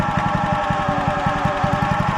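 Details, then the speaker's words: Wacker WP1550 plate compactor bought at auction, running over mud and stone: fast, steady pounding thumps over engine drone with a faint ringing whine; it bogs in mud, and owner suspects a worn bearing is making the noise. "So, as you can see, it um it bugs right out. It just the vibrational like bury in the mud. I wonder if that's that bearing making that noise."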